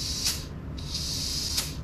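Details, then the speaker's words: Adec dental delivery unit arm brake switch: sharp loud hiss bursts each time it is worked, far beyond the small normal bleed of switches like the master on-off; faulty switch leaking air, to be removed and replaced with unit powered off. "Now to get back to our initial problem, we're hearing the change in sound here at the switch. In general, switches should not make a big loud leaking noise when they're activated."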